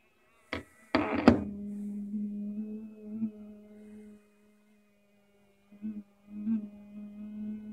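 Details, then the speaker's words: HTC One (M7) switched off yet vibrating: after handling thumps, a steady low buzz hums on, stops, then returns; the vibration motor runs with the phone powered off, starting and stopping on its own for over an hour. "The phone is currently off and still vibrating."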